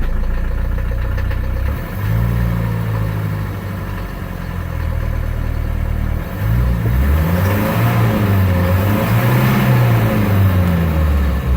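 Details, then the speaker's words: 1977 Mercedes 240D diesel just after cold start: fast clattery idle because the idle adjuster was set fully up, speed sagging and wavering lower as it is wound down; glow plugs and injectors still to be replaced. "The idle adjuster is turned all the way up, as you see. I crank it down, but she was cranked all the way up."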